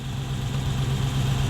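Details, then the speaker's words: Toyota 1UZ-FE V8 hotrod idling after fuel leaks were checked; smooth deep steady burble with no misses, knocks or hiss, "purrs like a kitten", a normal idle. "It runs. Woo-hoo-hoo! It doesn't just run, it purrs like a kitten."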